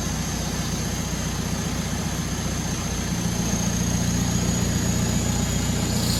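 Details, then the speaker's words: VW MK4 Jetta TDI diesel after 09A automatic transmission no-reverse fix; clattering idle with a low steady groan rising as the wheel is turned while stationary, power steering pump groan. "the power steering pump don't like dry turning"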